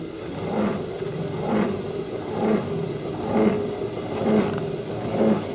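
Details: Helix HLT 2500 exercise machine: rough buzzing grind with each stroke when the left pedal is between 3 and 9 o'clock, both directions, felt as vibration on left side; started after first few days.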